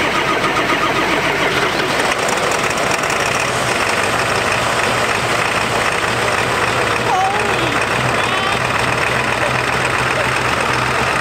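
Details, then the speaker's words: Totaled 7.3 Powerstroke diesel truck running again after crash: loud clattery idle, rich-sounding, with raspy open puffing hiss because the exhaust broke and is half off at the turbo, exhaust leak at turbo. "Now, it does sound a little bit funky, that's because the exhaust broke off. And it sounds kind of funky, and also, the exhaust kind of is halfway on and off right at the turbo, from all that, you know, banging around when it got in tha"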